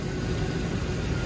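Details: One-owner Range Rover P38, about 52,000 original miles: steady even low idle rumble with no knocks, ticks or misses, engine sounds healthy.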